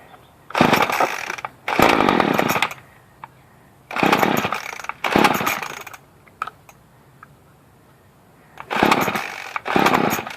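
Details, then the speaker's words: Murray M2500 two-stroke weed wacker that would not start on fresh mixed fuel after priming. It starts after a new spark plug is fitted and the bulb primed ten times, then revs in crisp bursts and drops cleanly back to a steady idle. "as you can see it started so instead of tossing it out in the garbage buy a new spark plug if you having problems"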